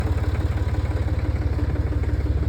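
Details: Cummins 6.7 diesel at idle: a rapid, even knock over the diesel clatter from a faulty injector. When the head was removed, the piston was found damaged.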